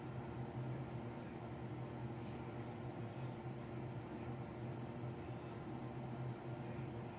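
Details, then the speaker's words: Apartment bathroom exhaust fan with replaced wall sensor switch, still running at 2:35am, last shower ended by 10pm, cycles on every 15-20 minutes untouched: steady low hum with even airy rush, no change; fan running continuously without cause. "it's 235 and it's still running this is what we as residents have to do"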